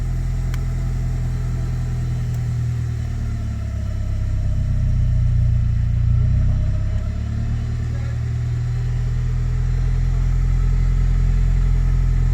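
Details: Honda Civic EK, troubleshooting no-start/stalling with suspected worn cheap fuel pump, running after restart: smooth, low idle with gentle rise and fall in revs, no misfire or knock; normal idle.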